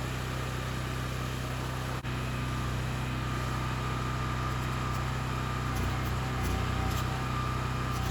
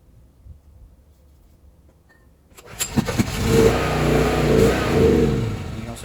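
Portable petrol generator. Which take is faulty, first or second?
second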